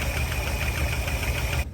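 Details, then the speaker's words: 1960 Chrysler Saratoga after sitting 39 years since a crash, running with no coolant: rough low idle with a fast, light tick evenly spaced with engine speed; the tick may or may not improve with running. "yeah she's a little Ticky though yeah it's only been 39 years since it crashed and stop running that ain't bad"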